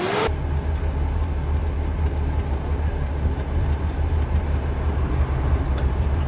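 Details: Toyota FJ40 at idle: a deep, lumpy idle with uneven, skipping exhaust pulses, an engine misfire traced with a scan tool to a faulty distributor, which was then restored.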